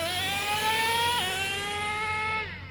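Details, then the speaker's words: Traxxas T-Maxx 2.5 nitro RC truck fitted with a Losi 3.4 carburetor replacing the old carb, not tuned for top end: crisp high whine rising and falling smoothly with throttle; idle improved, more bottom end, normal running. "but there is an improvement in idle i can tell you that it's not as drastic as os just because the os is a better carburetor but it is it is doing its job"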